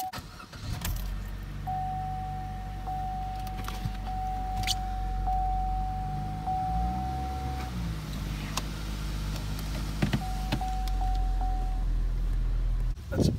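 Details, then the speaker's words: 2015 Chevy Cruze, 31,000 km, check engine light, code P0304: idle with uneven lumpy beat from cylinder 4 misfire; green corrosion on top of number four coil connection, plug fouled. "2015 Chevy Cruze the 31,000 kilometers check engine lights and suspecting serious misfire all right there it is cylinder for misfire"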